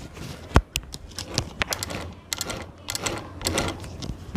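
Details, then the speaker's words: Sewing machine running stiff and slightly jamming because the shuttle part was set too far to one side; uneven clattering stitches with an occasional hard knock instead of a light even patter, cured by moving it back slightly the other way. "हमने जो है यह 10 side में ज्यादा उसको कर दिया तो इस वजह से देखिए यह जाम हल्की सी हो रही है कि तू किस तरीके की आवाज आएगी देखिए मैं आपको दिखाता हूं"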